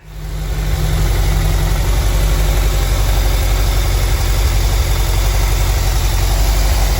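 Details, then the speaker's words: 1985 VW Vanagon Westfalia with newly swapped 1.9 engine and rebuilt three-speed automatic: steady even low rumble, smooth idle, no knocks, misses or rattles; van now runs and drives well. "as you just heard the van is finally running really good and drives good too"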